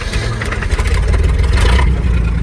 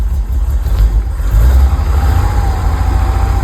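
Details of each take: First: 1969 Chevy C30 truck: the engine runs under a loose metallic rattle caused by the transmission having no fluid. After refilling there was no rattle in gear. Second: 1969 Chevy C30 after refilling an empty transmission with fluid: steady low engine rumble in gear with no rattle; transmission noise gone.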